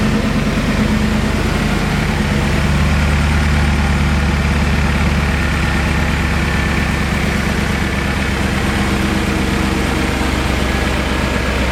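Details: BMW E39 M5 V8 after rebuild and cleanup, cold start recorded on the camera's built-in microphone: deep, steady idle with even low rumble, no ticking or knocking; healthy cold idle.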